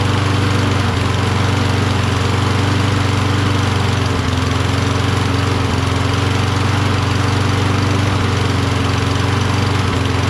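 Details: Toro Recycler mower, Kohler XT675, cold, choke closed, running on sprayed starting fluid: steady drone with uneven flutter; owner suspects low spark from magneto, to be swapped; rough running.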